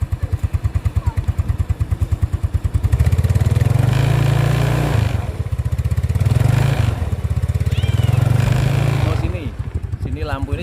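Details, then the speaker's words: 2010 Yamaha Mio Sporty (Gen 1) scooter, kick-started because the battery seems dead after long disuse. A steady idle pulsing about three times a second, with a buzzy vibration on top from a loose headlamp cover; the engine itself still sounds smooth. "ini juga agak longgar, teman-teman. Ya, itu sebabnya bergetar. Suara mesinnya masih halus."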